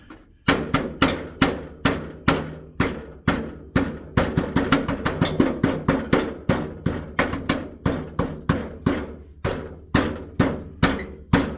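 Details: Jaguar XK (X150), tapping underneath the car on the heat shield where the front exhaust pipes split; hard ringing metallic clinks from something trapped under the shield, which caused the rattle heard in the cabin when driving.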